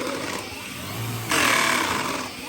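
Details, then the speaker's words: Vacuum cleaner pushed forward under high suction: whirr jumps louder and rougher with harsh grinding as brush bar bristles rub the red-toothed comb, worse in auto mode. "push the vacuum forward, when there's a lot of suction, the brush bar bristles like to rub against the comb. And then as a result, you can hear it grinding and making an awful noise."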